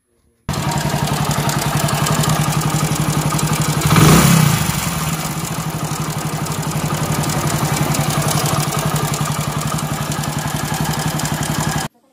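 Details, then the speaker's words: Hero Splendor motorcycle engine idling with a loud, fast metallic clatter over the beat that swells on a blip, before repair; the noise is diagnosed as a worn, slack timing chain, which is about to be replaced. "तो आपने देखा की इसके engine से कितना ज्यादा आवाज़ ए रहा है और यह आवाज़ दरअसल टाइमिंग चैन का है"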